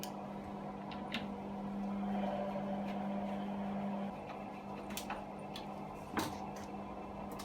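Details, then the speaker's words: Hotpoint Aquarius WMA32 washer with suspected previously replaced bearings, on wash cycle: steady low drain pump hum throughout, motor drone kicking in for a few seconds periodically, then pump alone; running normally. "so you can hear the pump running the whole time and then periodically the motor kicks in"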